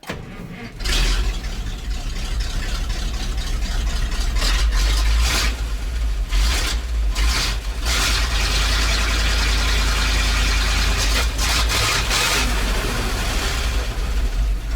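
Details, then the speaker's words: ZIL crane truck, running after a weak ground connection was noted: the engine catches quickly and settles into a strong, even run with no knocks or misses, working cleanly. "Ну так вообще четко работает."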